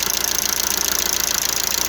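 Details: Lada Largus, about 432,000 km, fully warmed up with the oil pressure light on: fast even light ticking from the top of the engine over steady hum at hot idle; owner suspects hydraulic lifters and thicker oil needed.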